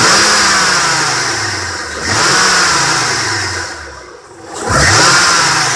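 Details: 2003 Honda Accord 3.0L V6 6-speed manual under hard acceleration: rising then falling roar with a thin, bell-like metallic ringing rattle, like an old alarm clock; worst in low gears on engine braking, loudest at the bottom passenger side of the bay; heat shields ruled out, owner suspects belt tensioner or A/C compressor; source never found.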